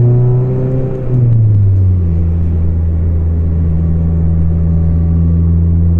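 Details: Volvo 440 driving, exhaust section broken apart and hanging loose: loud, deep, hollow drone falling in pitch then holding steady; exhaust leak.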